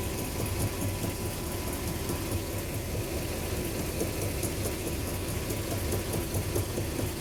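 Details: Mercedes W124 500E V8, cold engine at idle; dull, loosely regular knock starting shortly after startup, lasting a couple of minutes, only at low revs, never when semi-warm or hot. Owner suspects torque converter, flexplate, rod or piston.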